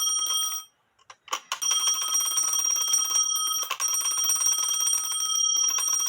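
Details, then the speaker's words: Postman's clock with alarm, no known maker, dated 1840 by an expert (owner estimated 1850–1880), after tightening with tape on threads: bright rapid metallic ringing, about three to four strikes a second, loud and sustained; alarm bell works normally. "Would that wake you up? I'll put it on the table and see what it does. Like I said, it is louder."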